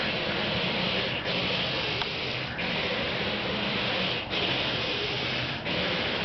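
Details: Car left running at 3 AM with windshield wipers on, heard from down the street: harsh rubbing screech repeating about every one and a half seconds as wipers sweep.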